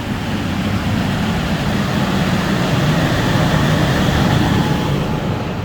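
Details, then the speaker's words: Parking garage exhaust fan driven by a VFD at 100% speed during CO testing, sensors uncalibrated: steady low roar with even constant air rush and no rubbing or knocking; fan running normally, while the second fan is not running. "yeah the fans are over here this fan as you can hear is running"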